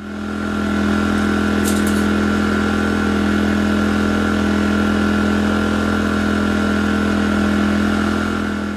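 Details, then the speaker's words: A-iPower SUA2000i/SC2000i inverter generator after cleaning clogged carburetor main jet and varnish: steady even hum with constant low tone, no misses, surging or knocking, normal idle. "And there you go. Generator running smooth like new."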